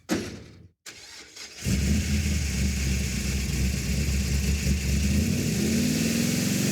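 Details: Roadkill drag car V8 after failed ignition boxes were replaced; vacuum advance. Rough cranking catches, then it settles into a steady, loud, deep drone held at high revs; normal running.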